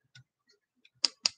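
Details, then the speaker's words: Green micarta liner-lock folding knife with very smooth action: several sharp dry clicks, a small rattle from loose parts in the handle as the knife is worked; owner thinks the liner is hitting the micarta scale. "can you hear that something is hitting i think the liner is hitting the micarta scale so it kind of drives me crazy"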